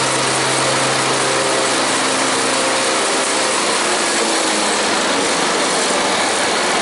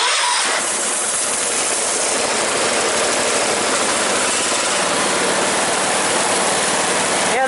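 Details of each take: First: Engine idling with an even, steady hum and no knocks or misses after a popped-off tensioner spring was refitted; slight rattle remains, but it runs healthy. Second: Engine started after refitting a tensioner spring that had popped off: catches and settles into a fast idle with a light, loose rattle on top; minor start-up rattle, cause undetermined, otherwise running well.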